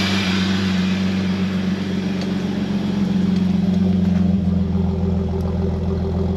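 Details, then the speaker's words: Holden VS Commodore ute, Sydney 2000 Olympic model, long parked and just revived, racy exhaust: loud, raspy idle with slightly uneven, labouring beat; engine struggling, gauge shows no fuel, fuel starvation. "Fairly racy exhaust by the sound of that. Struggling a little. Has it got any fuel? Oh no, it's telling me no fuel."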